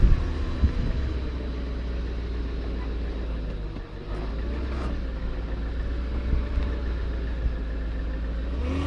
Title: BMW E34 Whining sound